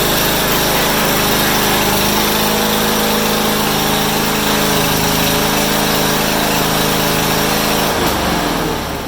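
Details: Honda HRU196 mower after carburetor cleaning, reassembly and a fix for a long-standing fuel restriction: revs up strong and holds a smooth, even high-pitched drone for eight seconds before winding down; runs better than in a long time.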